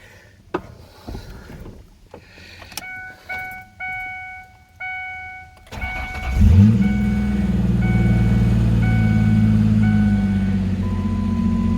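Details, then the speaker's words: Ford Ranger after replacing a leaking timing chain tensioner, with the intake removed and refitted: starter whirrs, catches at once and settles into a smooth even idle with injector ticking, good oil pressure, no timing chain rattle; normal idle. "that sounds good at least you can hear the injectors clicking away but i don't hear no timing team rattle"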